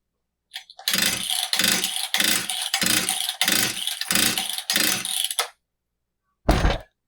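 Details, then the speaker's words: Husqvarna 66 chainsaw with fresh fuel and new fuel filter, choke working: six rasping starter-cord pulls, turns over but never fires; cylinder still dry, not pulling fuel, impulse port or carburetor internals suspected, not confirmed. "So, the cylinder is still dry. We're not pulling fuel. Could be the impulse port."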